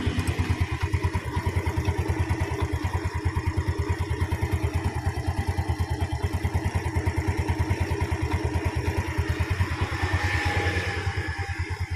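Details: Yamaha Vega/Jupiter/Mio-type small motorcycle engine after valve clearance adjustment and carburetor service, idle set around 1200 rpm: steady even low thump, valve noise now quieter, no loud ticking.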